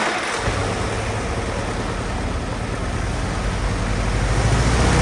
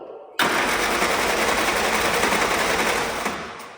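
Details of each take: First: Old Willys Jeep four-cylinder that sat for years, revival run with the carb not pulled apart. After a brief clatter it settles into an even idle that firms up slightly, no misses or knocks; normal idle. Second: Old Willys Jeep that had been sitting, cranked after a fuel leak was fixed but before the electric fuel pump was switched on, with the filter still empty. Fast, even starter churn of about 3.5 beats/s for three seconds, never catching; no start, no fuel delivery.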